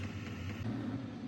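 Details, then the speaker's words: Vevor 8KW diesel heater, 2025 model, startup: after a couple of minutes the fuel pump starts ticking and it lights off into a steady low rumble with even fan rush, no knocks or sputter; normal startup. "All right, the pump just started kicking there. And now it's coming to life."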